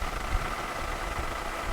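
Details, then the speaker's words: Ginger, big three-liter V6, after new battery fitted: low, even idle with steady rumble and no knocks or misses, sounds okay but a bit low at about 550 rpm. "Let's see how we're idling. Still sounds pretty okay. Oh, she's a bit low."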